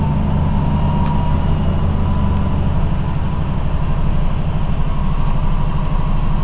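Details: 1990 Cadillac, carbureted, sat a long time, cold start after three pedal pumps: loud steady low idle with slightly uneven, lumpy pulse after a hard start; rough idle, needs a tune-up.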